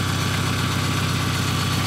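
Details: 1997 VW Jetta GT, cold start: engine running cold at an even, steady idle with a smooth low throb and no ticks, knocks or stumbles. Normal cold idle.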